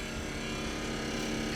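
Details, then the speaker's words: Furrion 12 V refrigerator in a Grand Design Imagine travel trailer making a loud, rough, steady motor drone with buzzing hum from low in the unit; compressor noise, deemed unrepairable and needing replacement. "the problem is is that like this one was making this God awful noise cuz it does sounds like the motor it doesn't sound like"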